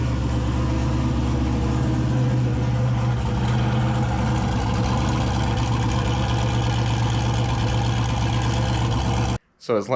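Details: 2000 Camaro turbo 5.3 V8, 190k+ miles, stage 2 cam, Holley Terminator X, first start after redoing backwards-installed head gaskets and new radiator fan/shroud, warming up: steady low-pitched even idle, no ticks, knocks or misfires; running smoothly.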